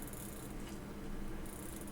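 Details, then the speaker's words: Very old vintage pocket watch in a swing-out case, reassembled movement with hands not yet fitted: soft, quick, even ratchet clicks as the crown is turned with no slipping or grinding; normal crown winding, winds properly. "ah yes ladies and gentlemen it's officially winding so it's in and it's good"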